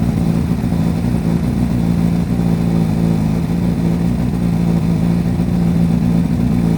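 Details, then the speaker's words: Repsol Honda CBR1000RR four-cylinder sportbike idling after fitting a new Varta battery, warmed past 47 degrees before revving: steady, even hum with no misses, knocks or rattles; normal idle. "Let's start and see what it sounds like. And yeah, I waited longer than the 47 degrees before I revved it."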